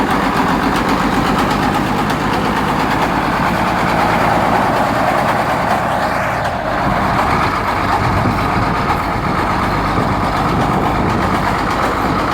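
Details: 1973 Case 1370 diesel tractor idling steadily with a sharp, regular knock on every turn; good oil pressure and temperature, head gasket and exhaust manifold previously replaced; sounds like rod knock.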